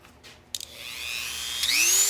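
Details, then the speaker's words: Dremel 3000 rotary tool bought at auction, missing some parts, one small cutter fitted: after a click the motor winds up into a clean, high whine that levels off smoothly with no rattle; works just fine. "And it works just fine."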